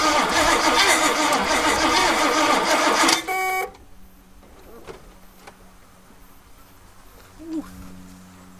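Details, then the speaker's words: 1969 Oldsmobile Ninety-Eight convertible with 455 big block, sat 26 years, after new coil and refilling the carburetor bowl: fast even cranking catches briefly then dies; suspected carburetor or fuel delivery problem, not confirmed. "promising there for a second might have a carburetor issue"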